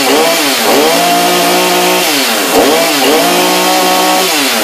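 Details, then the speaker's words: New Husqvarna chainsaw on its first start after fitting bar and chain, choke and primer bulb used, chain brake off: revs up and settles back cleanly several times, the pitch rising and falling smoothly with the throttle; healthy running. "Pull and pull sounds a little better this should just sit idle sounds like it might do the job"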